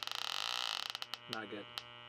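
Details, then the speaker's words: Electronic leak detector ticking rises to a fast continuous alarm as the probe reaches the back of the air handler coil on a 10-year-old Trane/American Standard unit low on refrigerant; refrigerant leak found at the coil. "all right guys we picked up our leak up front here let see what happens when I stick the probe to the back of the air ham"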